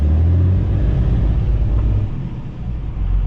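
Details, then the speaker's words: VGT-swapped 12-valve Cummins diesel, timing about 17–18 degrees, feels powerless, governor spring clicks suspected: heavy rumble climbs briefly then flattens into a steady drone; won't free-rev past about 2000 rpm. "yeah it doesn't free rev past like 2k"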